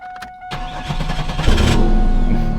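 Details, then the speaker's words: Chevrolet Camaro after replacing the fuel pump relay: chime, brief crank, then fires at once and builds to a strong, steady idle; starting and running normally, fixed. "there you go that's it hear that baby that's it baby that's a fix right there that's how the engine says sound that's a fix right there"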